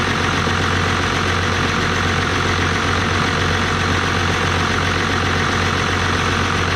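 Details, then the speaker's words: 1989 Dodge Ram D250 12-valve Cummins turbo diesel, VE pump, after new water pump, thermostat and alternator, at full operating temperature: steady, even diesel clatter at low idle with no misses or knocks; runs healthy with no leaks. "getting it all the way up to normal operating temperature and everything seemed to do great no leaks"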